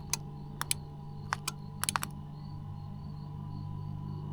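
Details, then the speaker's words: Tec Vans elevator bed in DIY camper van, first test after install: relay clicks sharply on each button press over a faint hum but the lift motors never run; lights work. "Okay, that's weird. I hear it, but it's not moving. Listen. Something in this relay is going, but the motors aren't."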